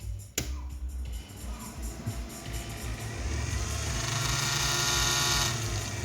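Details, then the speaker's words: Taramps MD5000.1 car amplifier after repair for protection mode, powering up: soft click, then cooling fan whooshes up loud and settles to a steady rush; no longer in protection mode, working normally. "You guys hear that fan come up loud, and then you could see the pole light right there. So everything is okay. Not in protection mode anymore, so everything was okay."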